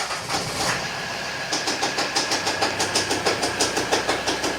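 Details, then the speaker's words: 2011 Volvo XC60 D3 diesel, running: sharp, regular ticking about three times a second from the drive-belt area, steady with engine speed. Owner first suspected a sensor; the belt tensioner is dead and the drive belt is worn on its outer edge. "Bad clicking noise from the engine when it's running. I suspect the sensor."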